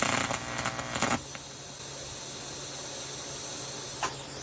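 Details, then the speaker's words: 1993 TIG/stick welder after fitting a new HV impulse arc-starting transformer, before polarity was corrected; about a second of ragged, sputtering arc crackle that cuts out to machine hum, with an unstable, hard-to-start arc. "So as you saw, there were some arc stability issues. I tried it again and it worked a little bit better."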